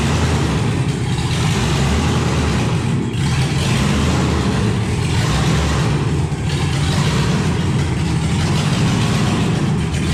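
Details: 1971 Impala donk with LS swap that died on a light rev after backing out of the shop and since runs on three to five cylinders; lumpy, uneven V8 surging every second or so, misfire from a dirty ECU connector.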